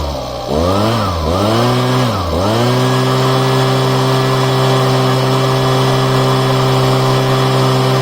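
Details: Husqvarna small engine after replacing crumbled fuel lines, first start-up: a couple of quick blips, then a steady, even high idle with no misses or stumbles; running healthy.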